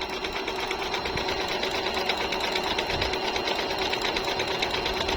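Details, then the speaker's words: Jaguar MP-006 multi-stitch sewing machine, good as new, sewing scallop stitch: even stitching a bit over two beats a second over smooth motor whir, no knocks or grinding; quiet, healthy. "bukod pa po sa very smooth po yung tahi niya, tahimik na tahimik po yung tahi niya."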